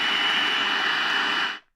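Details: Raddy RF919 portable radio on medium wave at night, built-in antenna: a thin steady high whistle sits over station hiss without changing, RFI the set generates itself, audible even on strong stations; cured by attaching the C.Crane Twin Coil antenna.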